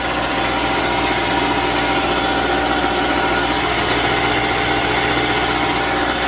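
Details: 2010 Subaru replacement engine with 87,000 miles, installed after the original overheated and failed: steady, even idle with smooth unbroken hum and no knocks, misses or rattles; engine running healthy.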